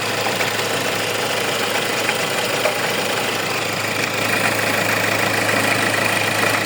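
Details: Hyundai engine at idle with a loose, irregular rattling tick about twice a second at the front of the engine over a steady hum, from a faulty alternator pulley.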